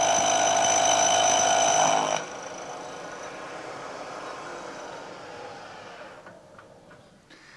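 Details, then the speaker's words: Lathe cut that runs well at first, then a loud ringing chatter screech builds as the tool nears the end of a long workpiece cantilevered out of the chuck jaws; the vibration worsens with part length and leaves a rough surface finish. "this cut was proceeding pretty well but as we get out towards the end of the part this cantilevered out of the jaws you can hear more and more vibration"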